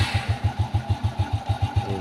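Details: Honda Wave S single-cylinder motorcycle engine idles evenly at about seven low thumps a second, no tapping from the head, after repair of piston-crown knocking and white smoke: new bored piston, new cam and rocker arms; normal idle.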